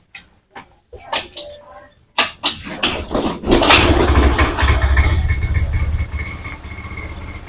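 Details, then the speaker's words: Honda Beat FI injected scooter, weak battery so kick-started: sharp clacks, then it catches and idles unevenly, hunting up and down; throttle must be held or it dies immediately, hard to start. "teman-teman lihat teman-teman lihat di sini untuk gasnya ya mesti ditahan dan suara langsamnya pun dia naik turun"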